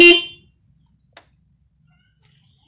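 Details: Single-terminal horn wired without relay, after fitting: one short, bright honk under half a second, then quiet; horn sounds cleanly at ordinary volume, normal horn sound.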